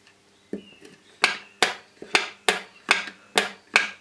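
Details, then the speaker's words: 12 V car starter solenoid bench test, body earthed, 12 V applied to spade terminal: crisp sharp clicks as coil energizes, about eight in four seconds; click is normal, though contacts later show no continuity, so solenoid judged bad. "I'm going to attach to the Spade and we should hear the solenoids click as the coil energizes"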